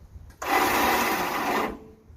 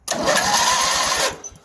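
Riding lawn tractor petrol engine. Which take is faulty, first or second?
first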